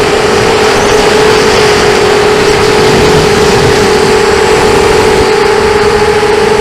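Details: 250 running with a constant mid-pitched whine and rough hum that stay steady; bad bearings.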